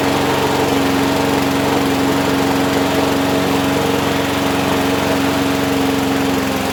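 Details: Abandoned Huskee XT650 that sat in a yard a year or two, started on just gas with its self choke, no starting fluid: holds a steady, even speed with a constant hum, no stumbling or surging; runs smoothly.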